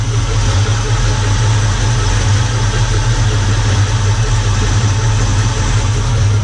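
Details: Holden Commodore fitted with a 660 carburettor that had not moved for over a year, just after carb tuning: deep, steady, even idle with a low rumble and no misses, knocks or hunting; engine running smoothly.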